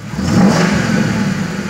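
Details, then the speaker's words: 2000 Ford Crown Victoria, 258,000 miles (motor reportedly replaced near 198,000), after replacing EGR valve, MAF, TPS and air intake control valve; previously fell on its face when revved: now revs smoothly without stumble or misfire, no check engine codes. "So it seems to be running pretty legit, no check engine codes."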